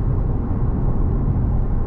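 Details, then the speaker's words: Car cruising around 70–90 km/h on old abrasive grey asphalt: steady low tyre rumble, even, without thumps or whine; normal rolling noise. "donc là on est sur les anciens goudrons gris qui sont assez abrasifs on a un petit peu de bruit de roulement"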